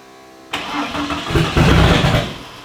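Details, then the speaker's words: Car that ran well until last drive, cranked: starter churns about two seconds with a few uneven chuffs that never catch, smoke pouring from the catch can; crank no start, cause unknown. "oh it's so close oh I gotta check this girl feeling in the in the thing well you can see the smoke pouring out the catch can"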